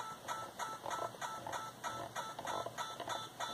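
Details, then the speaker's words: Yaesu FT-891 radio in receive on MFJ 30 A switching supply: steady ticking buzz about 1.5 bursts a second in receiver audio, digital interference from computer CAT polling, persisting with monitor set to zero or disabled. "now I can very clearly hear digital interference on the receive line as the computer interrogate the radio"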